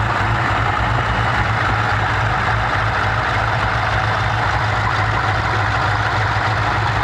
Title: LS2 Ticking noise